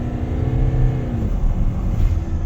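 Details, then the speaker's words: Kia Carnival turbo diesel, 187,000 km, no check engine light, driving at wide open throttle: deep steady rumble with hardly any turbo whistle, no smoke; low power confirmed, low boost suspected after a noise reported. "that was wide open throttle the whole time so definitely low power customer's complaint is confirmed"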